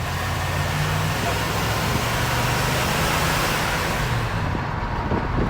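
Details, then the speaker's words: 1972 Chevelle barn find, revived after a quarter century: carburetor rebuilt, new fuel tank, points set, fresh gas and spark plugs. After the tune-up it starts and settles into a steady, even, smooth low V8 idle; sounds healthy. "once you turn the key fantastic. Mm-hmm. It's idling absolutely great. Yeah."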